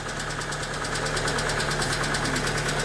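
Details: Hyundai Getz petrol engine idling not fully warm, about 40 degrees, oil pressure roughly 4 on a mechanical gauge: quick even ticking from the top end; hydraulic lifter tick.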